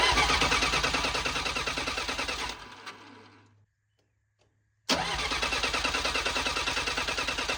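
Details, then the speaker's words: Bobcat 743B diesel skid steer from auction cranks steadily at about three compressions a second but never fires; glow plug relay clicks but owner suspects glow plugs not working, fuel smelled, some white smoke. "I hear the relay clicking for the glow plugs, but I don't it's not it's not firing."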